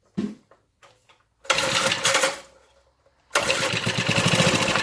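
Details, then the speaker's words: Briggs and Stratton rotavator engine, stood about 4 years unused, spark confirmed, carb untouched, tank dry: brake cleaner sprayed in, two short bursts of uneven popping that catch a second or two and die. "Oh, there we go. That ran for a few seconds. Excellent."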